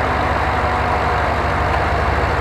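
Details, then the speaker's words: LS/LT-swapped Jeep JK with Camaro SS fan under GM ECM control idles rock-solid while the AC compressor cycles on and off, fan following AC pressure; idle compensation working, normal idle. "you will notice how rock-solid is idle is you can't even tell when the compressor engages and disengages you can also hear the fan following along with AC pressure"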